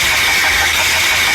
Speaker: The sound of a damaged oil pump.